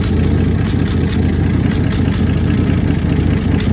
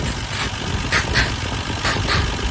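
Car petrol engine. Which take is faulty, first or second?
first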